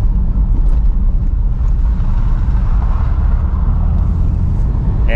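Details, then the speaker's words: 2002 Porsche 911 C4 (996), 122,4xx miles, test drive on rough street after replacing front control arms, with end links and strut tower bushings previously done, to cure a slow-speed clunk; steady tyre rumble, no front-end knocks; no suspension clunk. "usually i hear it right away in my very cruddy street that's here in my neighborhood so let's see if we can see if i hear any inklings of it i don't hear anything"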